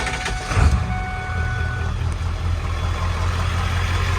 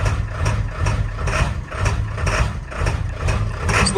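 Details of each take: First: 7.3L Powerstroke diesel warm after morning driving, idling normally after replacing a faulty new ICP sensor that caused hard cold starts; steady even diesel clatter, no misses. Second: Ford 7.3L Powerstroke diesel with cold/hard start issue: rough, fussy idle with harsh clattering cackle and shudder surging about twice a second; scan tool showed the brand-new Motorcraft ICP sensor faulty after 50 miles.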